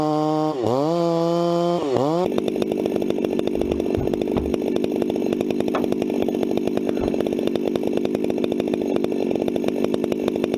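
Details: 266 chainsaw, not run for a while and warmed up first, bucking firewood: crisp revs, then a strong, steady high-pitched scream holding speed through the cut; "eating wood," runs clean and healthy under cutting load.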